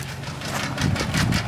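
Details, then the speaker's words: Restored old Ford at rough low idle: quick light ticking about five a second from extremely loose valves, not a bottom-end rod knock; valves to be readjusted. "oh it's a restored ford don't worry not a rod knock it's just valve train noise uh valves are extremely loose today"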